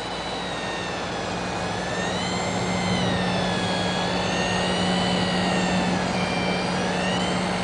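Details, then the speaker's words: Tagan BZ-900 power supply paired with a Galaxy 8800GT, in 3D/gaming load: a thin, high, wavering squeal over a low hum and fan noise that grows louder near the PSU and fades near the graphics card. Finding: power supply coil whine under load. "And as I go closer and closer to my power supply, listen to the noise that it's making."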